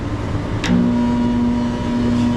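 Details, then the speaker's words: New replacement exhaust fan motor on a CaptiveAire restaurant range hood over the ovens, on the roof, run after install with power restored; smooth steady low hum, no scraping or grinding, so the motor runs properly. "you want to give her a spin make sure there's no scraping noises sounds good to me"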